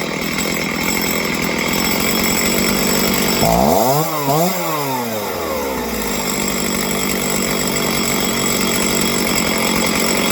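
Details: Small engine after carb tuning for a low-end idle fault: steady buzzing idle, then two quick blips where pitch rises and falls cleanly, settling to a stable idle; runs properly.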